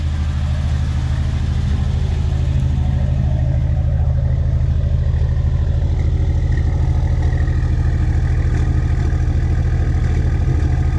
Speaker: hoping that that comes through hopefully the sound on that comes through where you can hear the actual misfire